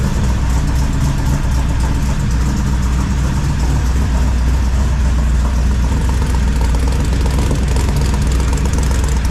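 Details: 1978 squarebody V8 with carb, full roller rockers, new 3" exhaust and Flow Monster mufflers, first start: deep even rumble through the exhaust at steady idle, no misses or knocks, slight roller-rocker valvetrain noise; running fine.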